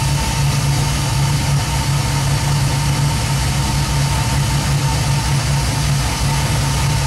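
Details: 1967 Nova with 2002 Camaro LS1, 2010 Camaro in-tank pump run by Fuel On Demand at 58 psi, about 50% duty and 4 A at idle; steady even low rumble, no misses, knocks or surges; normal idle.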